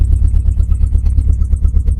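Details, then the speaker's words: Renault Clio Mk1 1.8 16v, restarted on a cheap 063 battery: very loud, blunt popping tractor-like bark at idle with no muffling, running with the exhaust system missing. "Nice. She's rather loud, and I'm currently getting"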